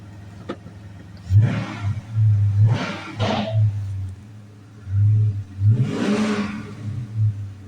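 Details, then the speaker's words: Hemi engine after repair for codes P0520, P1521, P0344, after replacing the oil pressure sensor: quiet idle with several quick throttle blips rising and settling smoothly, no knock or misfire; normal running. "this do sound nice"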